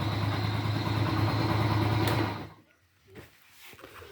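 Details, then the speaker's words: Honda Pop 100 after repair: small single idles evenly with a steady low thump for two seconds before shutting off; quiet and healthy. "olha motorzinho ficou dormindo cara dormindo dormindo dormindo bem silenciosinha ó agora tá uma motinha de respeito viu"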